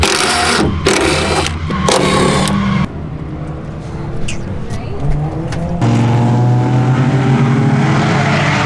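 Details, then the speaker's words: RWD Honda Civic drift car at the track: engine revs under load with a ragged, stuttering note, holding then dropping out; breaking up, cause not found, plugs to be changed next. "all right so it's breaking up being a pain in the ass i don't know what the deal is now everything checks out to be fine but i'm going to do plugs really quick"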